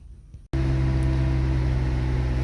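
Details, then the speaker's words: Skoda Octavia 1.8 TSI turbo with hot no-start, after fuel pump module replacement, running 43 minutes with coolant at 105 °C; steady, even low hum with no misses or hunting; normal warm idle, repair confirmed. "так авто працює вже 43 хвилини так температура охолоджувальної рідини у нас 105 градусів глушимо авто"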